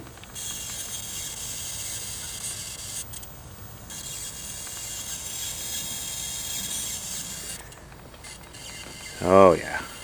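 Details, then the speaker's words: 1974 Montgomery Ward Airline 19-inch portable color tube television, soft-start light bulb bypassed: thin steady high-voltage hiss over quiet background as high voltage comes up normally; raster then appears. "I hear some high voltage hissing"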